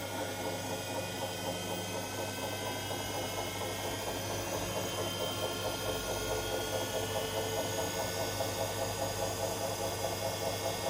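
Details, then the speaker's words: Hotpoint Aqualtis washing machine after drum replacement for shot bearing, at maximum spin speed; smooth steady spin with even motor hum, no grinding, belt holding, machine oscillating slightly as expected; normal spin. "but the belt is holding machines oscillating a little but that's what i'd expect"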